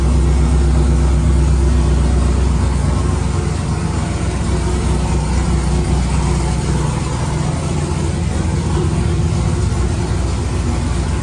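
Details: 1999–2006 Chevy/GMC GMT800 Silverado/Sierra V8 idling after Flashark long tube header install, open straight pipe before turbo hookup; loud, deep, uneven burble with sharp exhaust pulses, no knocks or rattles, normal healthy idle.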